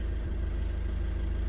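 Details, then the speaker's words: Volkswagen Caddy 2.0 TDI common-rail diesel after fuel system repair with new injectors coded: steady, even diesel idle with a low, regular beat, no knocks or misses; starts easily, injector deviation values normal overall; normal idle. "запускаємо автомобіль опускається легко працює рівно зараз зайдемо подивимося параметри роботи на холостих"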